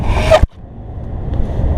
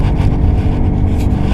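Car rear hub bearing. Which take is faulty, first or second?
second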